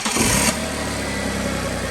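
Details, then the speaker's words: Audi after welding exhaust and flex pipes: engine catches and settles into steady idle with faint puffing hiss over the exhaust note; small exhaust leaks on top at the welds; power steering also sounded unhappy. "Little leak there. No, I said let it run. I got a little leak on top."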